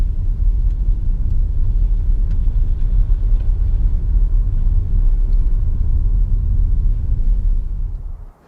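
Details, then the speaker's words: 2015 Nissan Leaf on a wet, muddy road after the front axle clicking fix (stub axle lubrication and hub nut): steady road rumble through gentle acceleration and regenerative deceleration with no clicks or clunks, so the front driveshaft is normal. "i hope you can tell that it's not doing what it was doing before in terms of that click as we were accelerating and decelerating"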